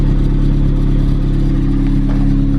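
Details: Engine holding steady revs with a light metallic clatter riding underneath, on a car with a Milltek sports cat; owner first suspected the heat shield, but the rattle is from the exhaust.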